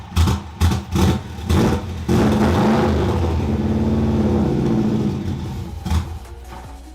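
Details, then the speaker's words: 2002 Subaru WRX at first start after sitting, low on fuel: catches and revs in uneven stabs, then a wavering idle that won't hold; ill-fitting blow-off valve letting in too much air, new one planned. "the reason why it wasn't sounding the best was because it was getting too much air in because the blow-off valve wasn't on perfectly we have to hold it a certain way for it to work"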